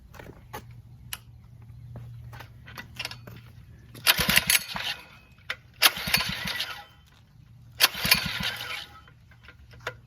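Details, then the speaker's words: Phatmoto motorbike with known motor and carburetor problems (poor idle, top speed capped at 40 mph), cold start on full choke with plans to drop to 1/8 choke: three short pull-start sputters, it coughs but won't keep running. Hard cold starting. "so what I do is right full choke I'm going to try like two three times if it doesn't go I'm going to come back on off not off I'm going to go down to 18 open and then try it again and see if we can turn them on full choke"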